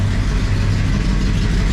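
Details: 1966 Pontiac Catalina 2+2 barn find with newly fitted 421 V8, first run, warmed up, about 30 psi oil pressure: deep, steady idle with an even low rumble. Runs smooth, though the owner feels a slight miss.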